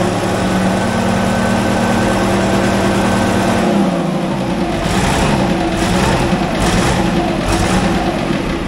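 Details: Cold start of an International wheel loader diesel that sat 8 years, after its injection pump rebuild, with a booster for cranking: uneven chugging idle with stumbling. Owner suspects poor injectors and off timing.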